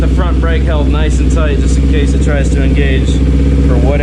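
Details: Kawasaki Ninja 250R (2008-2012) after DIY clutch replacement, not fully warmed up: steady smooth low thrum at idle, no slipping, clatter or surging as clutch is worked; old clutch was worn and slipping badly, now healthy.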